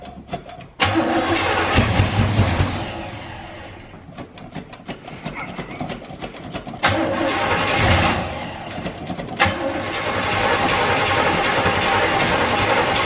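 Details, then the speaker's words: 1984 GMC Sierra C25 3/4-ton with a 454 big block, left in a junkyard for 19 years, gas poured into the carburetor: the starter grinds, then sharp backfire bangs as it catches briefly and dies; it won't keep running. "god that rattled the building oh she backfired pump a little bit looks like"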